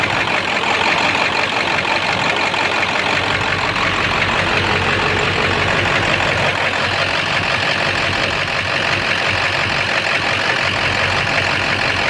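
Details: 7.3 diesel rough runner with no power, after high idle and street mode, going to bypass: loud uneven idle with irregular knock about three beats a second, owner suspects rod knock; raw-diesel puffing smoke, EGTs good, unconfirmed.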